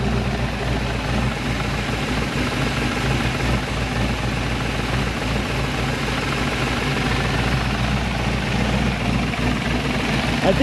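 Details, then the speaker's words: Chevrolet Malibu small-block V8 after new top end installed, idling with oil pressure above 40: steady lope with a light fast tick, attributed to noisy valves as rockers are not yet adjusted. "think that's just noisy valves. The rockers are not adjusted."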